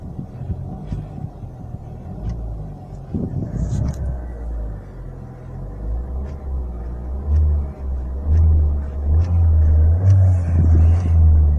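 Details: 2012 Chevrolet Sonic petrol engine idling with a steady low rumble after the repair: the dry knocking, first thought rod noise but traced to the water pump, is gone.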